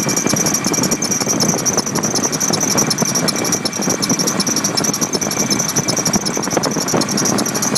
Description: Nissan Titan stillen supercharger belt squeal after install